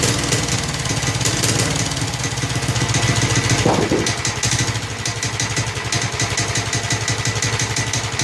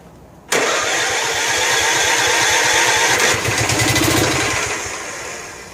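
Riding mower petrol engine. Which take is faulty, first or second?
second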